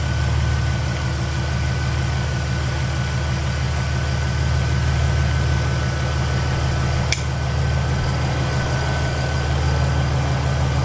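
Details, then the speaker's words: 2006 Mercedes SLK32 AMG, cold start in a garage after a throttle relearn, on its first V_tech ECU/TCU tune with a 92mm Hellcat throttle body, ported supercharger snout and 65mm pulley. Deep, steady, even idle with no surging or hunting; runs smooth and healthy. "That is really effing smooth. I thought I would have got a few surges or something, but that's sounding pretty good. So this is straight up just a cold start, and it's sounding running smooth as heck."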